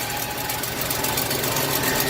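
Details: 1982 Ford 460 V8 in an RV, after sitting a long time, with a rebuilt replacement carburetor fed from a temporary gas tank: steady, even idle with no misses, knocks or surging; running smoothly and healthy.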